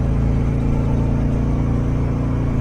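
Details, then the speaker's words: 1000hp Crown Vic on 28-inch wheels, after a brand-new tune fixed the speed issue: deep steady engine drone under load, no clunk, slip or flare; automatic transmission shifting very smoothly. "And I mean, this mud shifting, I can't say like butter, because you don't shift butter, but whatever be shifting like some this thing shifting like some this thing shifting like some hips in a sundress, you understand?"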